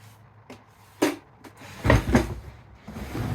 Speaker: after that it should just slide in and out a lot more smoothly of course you got to make sure that every part that might be rubbing that's that soap treatment and voila